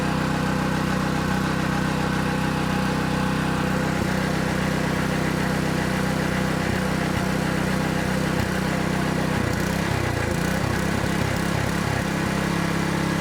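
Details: Honda GX200 small engine on a water pump after carburettor cleaning and fresh gas: chugs steadily, then the beat falters and wavers as it struggles; runs only on full choke, dies off choke; carburettor issue suspected, not confirmed.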